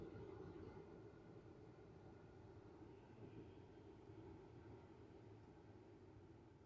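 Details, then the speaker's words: 2013 Ford F-150 blower motor after removing a fallen blend door piece that caused rumbling with AC on: only soft, steady air rush, no ticking or scraping; blower fan now runs quietly and normally. "Let's start this thing up. See how it sounds now. Pretty quiet."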